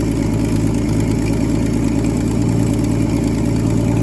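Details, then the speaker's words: 1963 Ford Falcon Futura, 170 inline-six with a new carburetor, parked 25 years, over 40 psi oil pressure at idle. Owner suspects it is running way rich, even with the mixture screw turned all the way in. Low, lumpy, uneven idle with no knock or tick; rough idle. "Yeah, no wonder it's running so rough."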